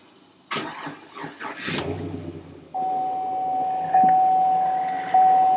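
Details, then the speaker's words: 2003 GMC Sierra at about 87,091 miles, started on a good battery after the original was found dead: brief cranking catches quickly into a steady, even idle with no knocks or misses; sounds like a low-mileage, healthy engine. "And I'm telling you, sounds like a low mileage car as well."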